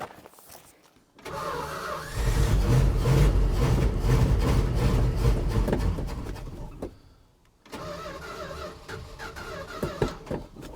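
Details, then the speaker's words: 1973 Dodge D100 after a new fuel pump, fed from a gas can: long steady cranking at about four beats a second, a pause, then more cranking that never catches; crank no start, fuel starvation traced to fuel pump and carb needle. "come on boy this thing's really fighting me usually don't have this much problem"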